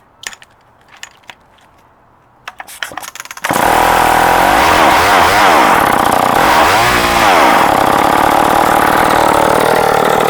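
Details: Vintage Sears chainsaw, 3.7 cu in, 18-inch bar, late 1960s–early 70s, converted to standard chain, makeshift air filter cover: a few pulls, then a strong, even high-rev buzz that dips and recovers cleanly while cutting wood. Normal running under load.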